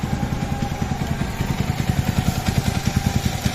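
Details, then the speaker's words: Yamaha R15 v3 after a new cylinder block, replacing one whose scored piston caused slapping: steady even idle with no tapping or head noise. Only a slight balancer gear noise remains, left for later. "যদি আপনি দেখেন যে এখানে আমাদের যে cylinder block লাগালাম এবং সাউন্ডটা এখন শুনেন যদি দেখেন বাইক কিন্তু স্টার্টে স্টার্টে আছে কিন্তু কোন শব্দ নাই।"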